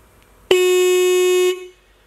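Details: Restored Mitsuba horn from a 1965 Honda S600, after cleaning: one clean, steady one-second honk with a clear, strong tone and no rasp or flutter, a healthy horn.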